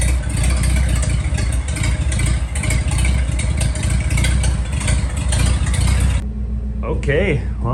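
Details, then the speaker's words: 1941 Dodge half-ton pickup's old six, after sitting 39 years, run off a 6V battery clipped on with a temporary fuel setup: deep, steady low rumble, even firing, no knocks or misses; ran about 10 minutes, normal idle. "we just had a run in there for for probably 10 minutes"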